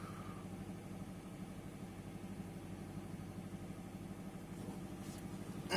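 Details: 2005 Subaru WRX wagon after valve cover gasket replacement and driver's side spark plugs: catches and settles into smooth, even idle with steady low rumble, no knocks or misses; healthy.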